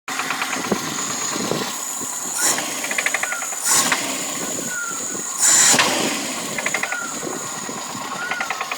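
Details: VAZ 2108 engine at idle: quick, regular light ticking with a few louder bursts; engine knock, owner asks what it could be.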